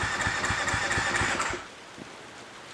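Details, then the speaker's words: Dirt bike that won't start unless towed, tank and parts off: starter cranks about three compressions a second for a second and a half without firing; mechanic suspects tight valves. "uh not starting it's having to get drug around behind other bikes to start I have a feeling the valves are going to be tight"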